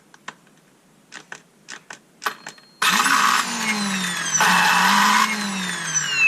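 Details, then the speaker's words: Ryobi 18V brushless chainsaw under repair, with a loose wiring connection: after a few clicks motor spins up with a harsh, gritty whine whose pitch wavers and surges unevenly; rough-running motor, cause unclear. "but it sounds terrible so not only is there a loose connection but that sounds terrible right"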